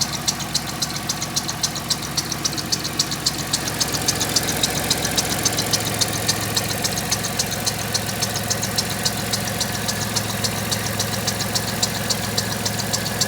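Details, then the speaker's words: 1996 Dodge Grand Caravan just started after leaking parts were fixed: settled, steady idle with light even ticking about four per second, no hunting; idle now drops below its former 1,000+ rpm, much smoother; owner thinks the sound is intake; normal idle. "I think the only thing I'm hearing is the intake. I think. This has been doing that since I got it."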